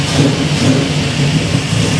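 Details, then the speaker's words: 1967 Camaro V8 in neutral, first key start after rewiring with a wiring kit (previously hot-wired), good oil pressure: deep, steady rumble with even firing beat, no misses or knocks; idles nicely, normal running. "this thing cool man it idle's nice and oh yeah that's pretty exciting very exciting"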